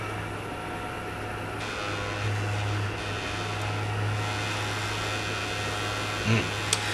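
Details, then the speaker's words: PlayStation 4 CUH-1115A that was overheating, powered on with cover off: steady low hum with constant rushing drone and faint rattle; bad, noisy cooling fan causing the overheating, to be replaced. "is not good it is fan making that noise well that would explain the overheating"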